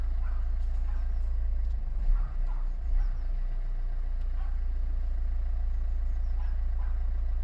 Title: Megane Mk3 1.5dci k9k engine rough idle